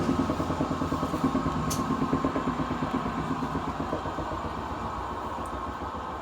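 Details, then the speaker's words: Kenmore laundry center washer stopping after spin: rhythmic rumble slowing and fading as tub coasts down, then lid lock clicks; loud bearing noise while running, worn tub bearing suspected. "it still makes the same noise every time when it stops spinning it makes a quiet noise or so slowly to make stop making noise"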